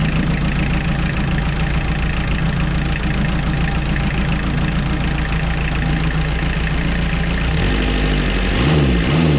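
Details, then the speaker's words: Junkyard Kubota diesel on roller/compactor with new muffler, much quieter than before: steady even chug at idle with brief blip near end, nothing irregular; runs healthy. "And here we are with the new muffler. So much quieter."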